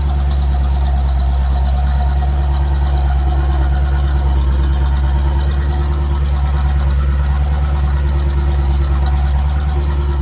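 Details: C4 Chevrolet Corvette after fixing an intermittent no-crank fault by rewiring the relay behind the dash: deep, smooth, even idle with a steady low rumble, no misses or knocks; normal idle.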